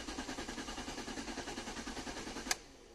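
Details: 1999 Ford Cougar 2.5L V6 crank-no-start, no DTCs: engine cranks evenly but never catches and no fuel pump hum during cranking though pump primes; faulty crankshaft position sensor.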